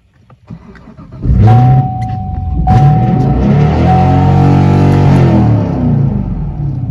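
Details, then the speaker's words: Crashed 2016 Camaro SS, 454hp LT1 V8 with frame rail pushed toward the crank, first start after reconnecting grounds and clearing codes. Catches and immediately surges to redline, holding high before being shut off; it then runs shaking in reduced power mode with codes. "turned it off because it went all the way to redline and that is not good"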